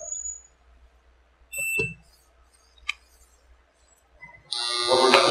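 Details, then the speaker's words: Electromagnet in a student levitation demo, with the current being adjusted: light knocks, then a sudden harsh, steady buzz. The ferromagnetic core laminations were not pressed tightly, so they vibrate in the magnetic field. "Vamos escutar uma vibração, porque essa vibração é proveniente exatamente do fenômeno da corrente elétrica gerar um campo magnético, e esse campo magnético ele está sendo concentrado por lâminas de material ferromagnético, né, e essas lâminas não foram bem prensadas, então causa uma vibração."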